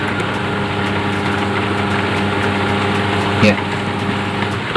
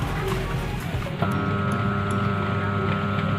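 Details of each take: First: Humming, non-spinning electric fan motor after fixing corroded capacitor wiring connection; steady even hum at top speed, no scraping or rattling — fan now spins smoothly. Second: Electric fan motor powered on its speed wires gives a steady electrical hum but won't turn, even when helped by hand; capacitor among suspected causes.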